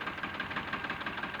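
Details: Diesel tractor at idle after replacing and bleeding an injector pipe: lumpy idle with uneven pulses about six a second and missing beats; sound unchanged, still on two cylinders; misfire.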